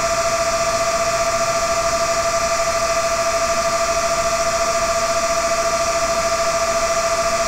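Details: Dell CS24-SC 1U server, dual Xeon L5420, two of four 40mm San Ace fans removed, Prime95 full load: steady high-pitched whine over loud airy rush, no rattle or wobble; fans at full speed cooling CPUs.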